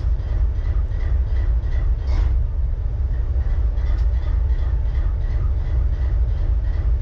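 Deep diesel idle with a lumpy, uneven beat and occasional skipped pulses under the steady rumble; one cylinder misfiring.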